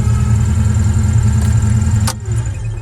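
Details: 1985 Ford Mustang Foxbody that had a miss, after its fried Duraspark ignition was replaced with a new ignition system. A deep, steady V8 burble with an even low thump and no stumble shows it running healthy.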